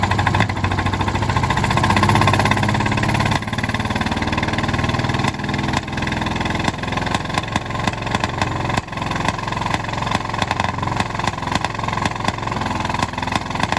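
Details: 1951 D8 2U dozer big diesel, sitting since 1990 and started via a pony motor that preheats its intake, moving around while the blade winch and brake band are hung up: a hard, regular clatter with small load dips and clean recovery, running properly.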